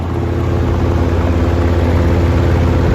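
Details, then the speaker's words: 1969 GE W25 box fan heard from the back: strong steady low hum with coarse electrical buzz under the airflow, unchanging, from loose motor windings, which GE fans are famous for; runs well for its age. "Let's go ahead and get started from the back, see if you can hear the loose windings from here. GEs are famous for that."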